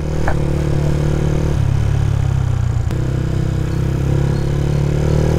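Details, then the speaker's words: Sniper 150 motorcycle ridden in second gear after a shop valve clearance adjustment, 8 and 10 settings with a 5.8 camshaft; throttle feels responsive. Even engine drone with only faint clatter and little ticking; valve clearance sounds correct, with further testing still planned. "Second gear. At wala tayong masyadong na didinig na pitik. Maganda. Very good."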